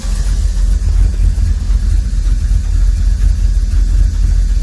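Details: 1999 Dodge Ram 1500 5.9 rough idle, intermittent, only at idle out of gear, smells very rich: lumpy, uneven idle surging and dipping irregularly; owner reports loud hissing from top of engine, not clearly heard here; cause unknown.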